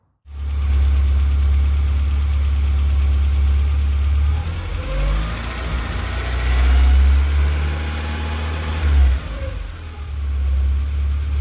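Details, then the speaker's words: Mk2 VW Golf petrol engine idling high and misfiring for about a week: fast, uneven idle nearly stalling with the blue-connector sensor plugged in, runs fine unplugged; owner suspects a faulty temperature sensor. "So I think this blue connection is some kind of temperature sensor, because, well, obviously that's the problem, because when it's plugged in it idles high and misfires and nearly dies, and when it's unplugged it runs perfectly fine."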